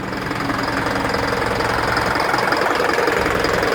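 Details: Isuzu NPR diesel at idle, check engine light with DTC P0202 cylinder 2 injector circuit; uneven knock about 160 per minute as cylinder two injector drops out, caused by a loose connection: injector misfire knock.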